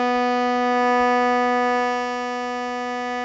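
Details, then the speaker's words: Harmonium B reed played alone, case opened: steady reedy note slightly flat; fix is filing near the reed's free end to raise pitch. "we can see it is this one that's a little bit flat again it's the b so to make it slightly higher we're going to file near the end of the reed"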